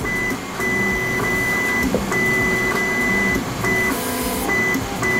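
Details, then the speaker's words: Voron 2 3D printer with a Euclid probe during bed mesh calibration: stepper motors whine through short moves, with a crisp switch click at each probe point every second or two, showing the probe triggers normally. "yeah that is reassuring to hear that click from the from the switch"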